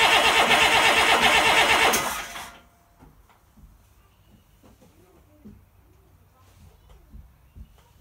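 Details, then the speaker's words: International DT360 diesel on test stand, fuel system hard to prime and not yet bled: loud clatter for about two seconds then dies abruptly, running only on ether; some oil from exhaust, owner suspects turbo or head gasket. "DT 360 runs on ether but not diesel fuel and leaks oil question mark"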